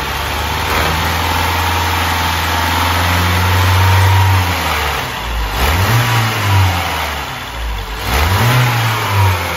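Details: BMW 116i with N13/N18 three-camshaft engine, oil pressure fault, only about 1.5 litres of oil drained: engine revved up and falls back twice with a dull, uneven rattle under the revs; low oil pressure.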